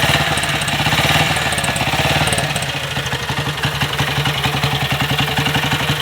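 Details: BSA Gold Star big single after major engine repair, freshly started with throttle held to catch the revs on a hot day, thumping unevenly but with firm steady beats, no knocks or rattles; running healthy, still breaking in.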